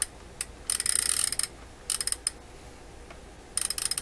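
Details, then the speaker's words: Toshiba RC-803F clock radio whose flip clock stopped working. The number mechanism is turned by hand with crisp, light ratchety clicking and no catching or grinding; it turns freely with no lubrication problem, and the fault is thought to be in the clock motor. "This turns just fine. I don't sense there's any lubricant issues with this."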